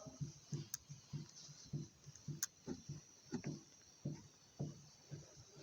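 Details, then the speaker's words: Dull, uneven knocks and clicks as the anti-roll bar link of a Fiat Panda 1.2 is rocked with little effort: worn stabilizer link joints, replaced along with rotted shock absorbers. "takim niewielkim wysiłku on już sobie puka czyli oba łączniki obaortyzatory"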